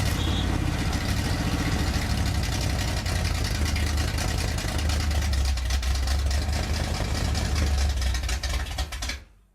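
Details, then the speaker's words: Freshly rebuilt Pontiac 400 on an engine stand during cam break-in, running a borrowed Mustang carburetor: deep lumpy, stumbling idle then shuts off; three cylinders on one side not heating up; major vacuum leak on that side suspected. "What this thing's telling me is it has a major vacuum leak. Like huge vacuum leak. And it's on this side."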